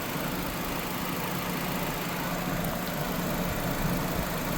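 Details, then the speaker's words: 2006 Nissan Sentra 1.8 L after water pump replacement and cooling-system burping, warm after about 10 minutes running, fans just kicked on: smooth, even idle hum with no misses, ticks or knocks; engine idling fine. "Engine sounds like it's actually sounds like it's doing good."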